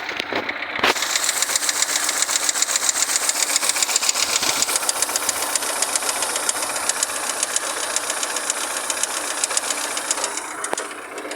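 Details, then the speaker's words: 2012 Fiat Siena Tetrafuel petrol engine idling with light, sharp pen-tapping ticks about two and a half per second; shops suggested tappets needing engine opening, valve train tick not confirmed. "barulhinho de caneta, como se fosse uma caneta batendo."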